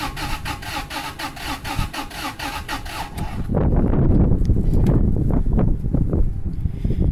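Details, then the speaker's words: 2002 Toyota Sequoia crank-no-start, no codes, fuel smell in oil suggesting cylinder wash: erratic cranking thumps about three or four per second, then a rough, lumpy stumble; scope capture shows jumped cam timing. "So 1, 2, 3, 4, 5, 6, 7 and a half. Ooh. All right. Jump timing."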